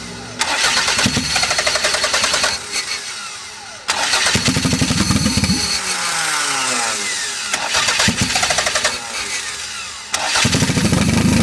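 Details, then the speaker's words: Toyota MR2 with a 3S-GTE turbo engine: it starts and revs and idles for about 30 seconds, makes a little boost, then sags and stutters between bursts, won't hold idle and dies. Idle/starting fault. "she will rev I've got her to idle for just like 30 seconds she'll get into boost she has made a little bit of boost but then she stutters trying to go back into it and she'll eventually just die out no matter what I do"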